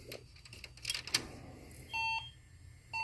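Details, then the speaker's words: HP EliteDesk 705 G1 SFF desktop powered on with all RAM removed: long, even beeps about a second apart, five-beep memory error code with no boot; points to a motherboard hardware fault. "three four five as you guys see because it keeps giving me the same code took the memory RAM there's nothing there so so far now there's a hardware issue"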